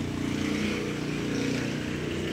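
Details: Honda Click 125 scooter at 27 (unit unclear) on the clock, running after replacing the failed ignition coil that caused crank-no-start: steady, even single-cylinder buzz with no misses or rattles.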